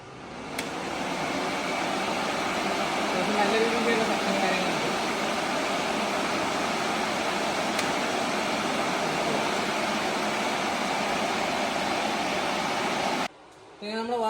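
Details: Upgraded radiator fan for a carbureted Maruti 800 autocross car, bench-tested after wiring: steady, even whoosh of air with no wobble, rubbing or ticking over about thirteen seconds; fan spinning smoothly, normal.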